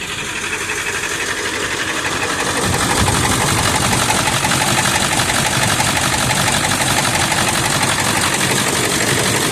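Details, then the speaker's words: 1999 Ford F350 7.3 L turbo diesel, 217,000 miles, just after a cold start on a summer day: loud clatter with an uneven, loping idle beat that only partly settles; smoky oil burner, improves warm but never disappears; cause unconfirmed. "this is a cold start yet on a summer's day I know it's terrible he it does improve as the vehicle warms up but never disappears"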